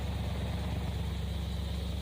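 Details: 1964 Plymouth wagon 440 V8 on first start, replacement carburettor: quiet, steady low burble with an even beat and no ticks or misses; healthy idle.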